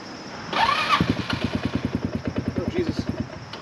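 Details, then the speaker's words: HammerHead 250cc go-kart on a partly charged battery: it catches with uneven chugging, about three beats a second, then dies and won't idle; owner suspects it needs a carb clean. "oh yeah so it definitely needs a quick uh club clean because it should idle it doesn't want to idle"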